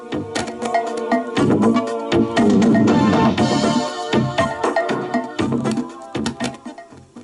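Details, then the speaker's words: Panasonic SG-J500L boombox, on first power-up after years of disuse, playing a homemade cassette: music with wavering pitch and warbling, heavy wow and flutter; the pinch roller, capstan and belt are suspected and need cleaning or replacing. "so that sounds like there's lots of wow flutter there so that is obviously in need of a cleanup"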